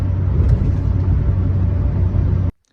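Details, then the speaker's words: GMT800 Duramax truck driving after a worn steering column bearing was replaced with an upgraded Wolff Engineering bearing: only smooth, low road and suspension rumble, with none of the earlier clanking on bumps from the column. Quiet steering column. "so you can hear the typical you know suspension and stuff in the truck but nothing out of the steering column uh before you get the loud clanking"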